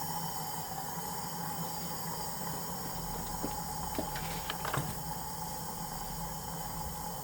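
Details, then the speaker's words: High-mileage BMW E36 M3, S52 engine, leakdown test, engine not running: steady hiss of air escaping with a few handling clicks; cylinder 4 leaked slightly less than 5; suspected head gasket failure between cylinders 4 and 5 and/or warped head. "But I think we have a head gasket failure between cylinders 4 and 5, and or maybe a warped head."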